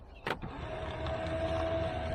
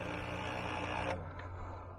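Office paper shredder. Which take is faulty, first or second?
second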